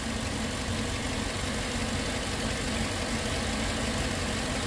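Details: Steady V8 idle with a faint, fast top-end lifter tick in the rumble. It is still heard a couple of minutes after Prolube oil additive was added.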